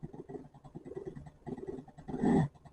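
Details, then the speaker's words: Dishwasher pump converted for garden watering, running without water: choppy gurgling churn in uneven bursts, rising to a harsher rush when the inlet is blocked; sucking air, pump running dry. "Oh dear, that sounds terrible. Stop it. Okay, this was a pump that was taken out of a dishwasher."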